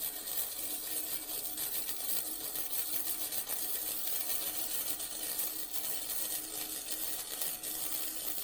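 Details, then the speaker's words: Vevor MIG 130 flux core welder set at 45, flat beads on thin steel: steady crackling sizzle with some uneven sputter; cold at the start with the bead beading up, so the setting was slightly too low. "okay I was a little cold there right at the beginning but as I got going I got a little bit better"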